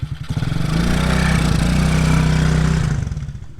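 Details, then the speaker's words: TaoTao Coolster 110cc youth ATV with carburettor needle at default, on a test ride: revs into the mid-range then sags and burbles unevenly, no full wide open throttle; bogging, running a little lean. "Let's see, now you can get into the mid-range, but you can't get all the way through the mid-range, and there's no full wide open. Just burps along."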